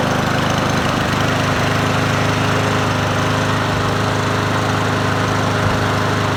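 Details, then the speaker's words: Troy-Bilt TB110 push mower, 140cc Briggs 550EX, replacement carburetor: steady speed with uneven shaking throb each revolution; vibration from bent blade adapter. "it's got a shake though but that could be the blade probably needs to be sharpened and and balanced so we'll go take that off"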